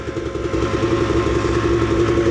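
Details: 1998 Arctic Cat Z440 fan twin-carb snowmobile with new fuel lines, fuel filter and apparently new spark plugs (carb boots not yet refitted): a crisp, even two-stroke burble with a steady rapid beat and no misses or rattles, idling cleanly.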